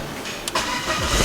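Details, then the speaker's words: Low-kilometre BMW: a brief starter whirr under a second with no bendix slip, then the engine catches at once and settles into an even run with solid compression; a healthy quick start. "detik dan di langsung menyambar langsung hidup kondisi mesinnya dan padat tidak yang gitu tapi kompresinya padat"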